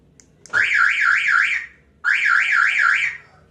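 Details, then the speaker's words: 2016 Toyota Avanza car alarm gives two warbling siren bursts of about a second each on locking instead of one short chirp, while unlocking sounds normal; after a recent service the hood (bonnet) switch was found knocked loose and its clip broken. "Tapi kalau ngebuka normal. Dari yang saya baca di internet, ini tuh problemnya ada di sensor kap mesin."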